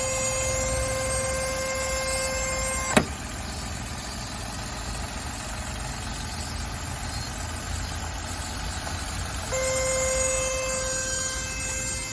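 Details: Steady high whine around 500 Hz over the idle cuts out for several seconds, then returns. It is a sudden, loud, unfamiliar noise from the engine bay that appeared when setting out; the cause is unclear.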